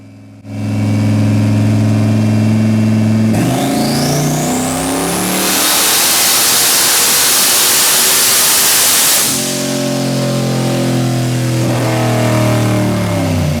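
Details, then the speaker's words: Boosted engine on dyno, pull 4 to 6,000 rpm at 10 psi boost, 15 degrees timing at 6,000, mid-range ignition cleaned up: revs climb smoothly with a rising tone, no misfire or stumble, pulling cleaner up top and hitting sooner than the previous pull. "Now listen to it come up and pull up top. It's much cleaner, hits much sooner."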